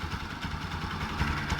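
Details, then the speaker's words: Bajaj Pulsar NS 200 (Rouser) single-cylinder idling smoothly after repair; the engine noise was traced to the stator, now replaced, and the noise is gone. Even, steady low thrum with no tapping or rattle. "pero bueno el punto es que está arreglada la moto y era el estator ahora ya no hace más ruido"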